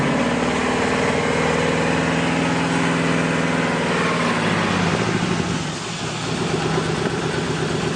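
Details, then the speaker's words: 5.3 LS V8 with more than 200,000 miles, swapped into a 1967 Chevrolet Caprice and running a newly installed Holley Terminator X: smooth, even idle with the airy hiss of air drawn through the throttle body. A healthy idle. "So that hissing sound is the air being sucked through the throttle body, but it's healthy, and that motor has more than 200,000 miles on it."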